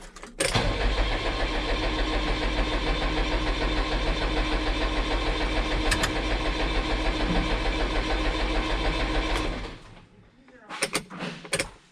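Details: New Holland TS100 tractor diesel after fuel filter change and sediment bowl emptying: runs steady about nine seconds then abruptly dies from air in the fuel lines; fix is cycling the electric pump to pressurize.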